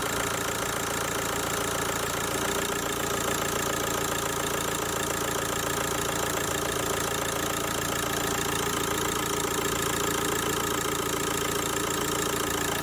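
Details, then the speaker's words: Kia Ceed diesel with Bosch EDC16, cloned replacement ECU fitted: steady idle with a hard, even rattling clatter throughout; the injectors knock because the new ECU's injector adaptation has not been done yet. "No nie da się ukryć że te wtryski na aktualną chwilę klepią klekoczą ze względu na to że tej adaptacji jeszcze nie było"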